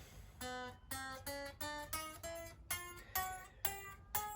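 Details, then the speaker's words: Fender Squier Affinity guitar during setup: single notes fretted higher up the neck each buzz thinly, worse further down the neck due to slight neck bow; D and G saddles to be raised — fret buzz. "now what fretbuzz is is when you fret the string you can hear it buzzing i shall try to give you an example of that"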